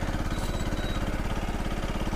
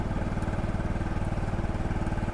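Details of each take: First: CFMoto Fashion 250cc scooter after a valve job, valve adjustment and better oil, side cover off, cold: single idling with a fast, even low chuff and a faint light knock on each firing stroke. Small engine knock at idle, source unknown. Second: CFMoto Fashion 250cc scooter after a valve job, during its first ride on a hot day with the cooling fan working: steady, even, low pulsing idle with no knock heard. Engine sounds smoother after run time.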